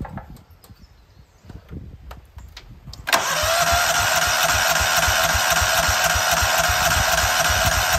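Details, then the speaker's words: Cub Cadet HDS 2135 riding mower on fresh non-ethanol gas, choke on, half throttle: starter cranks steadily about four compression pulses a second, never fires; fuel not reaching carburetor, owner wonders if fuel filter backwards, checks spark. "I'm wondering, we should check for spark first, and then I wonder if I put this fuel filter in backwards."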